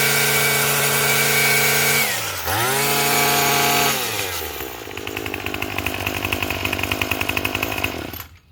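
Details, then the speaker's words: Craftsman 27 cc two-stroke string trimmer, made January 2013: high buzz revs up, dips under load and recovers cleanly, holding a steady, even note; sounds healthy, though it is smoking. "sounds pretty good."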